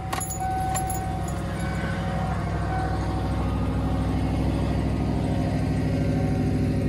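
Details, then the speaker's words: 1992 truck with a carbureted 351W, cold start at 27°F early morning. Revved to about 2000 rpm until smooth, then a steady fast idle around 1500 rpm with the temperature gauge still cold; even, with no knocks or misses. "i like to step on the gas a little bit take it out to about 2000 until it goes smooth right there now we've got a high"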